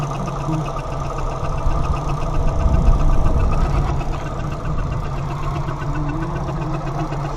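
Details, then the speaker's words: 1987 Suzuki Samurai that sputters and stalls, at idle: a faint ticking chatter at the front rides over the engine. Owner suspects a worn belt or pulley that will eventually need replacing; not confirmed. "that funny front noise that you hear that is a belt end or pulley that is you know suffering and I know that it eventually have to replace"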